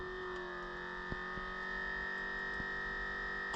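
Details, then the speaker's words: Lasfit Stealth anti-theft hood lock on Jeep Gladiator JT, locked from inside after install: small controller motor gives a steady, fairly loud high whir like a mini compressor for a couple seconds, stops cleanly; working normally. "but when I lock or unlock from inside, so that controller motor is actually somewhat loud. It's like a super mini compressor, but what are you gonna do? It's just like for a couple seconds."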